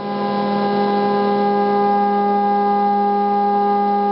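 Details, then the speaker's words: Gecko G540 stepper drive trim adjusted by ear with a plastic screwdriver: loud steady singing tone from the stepper motor swells as the trim drifts, then is turned back and forth until the motor runs as quiet as possible; mistuned drive trim noise. "should be able to hear how loud that gets and just turn it back and forth moving your head up and down with your keyboard so you get it as quiet as you can get it and that's when you know you have it when you get the motor running as quiet as possible"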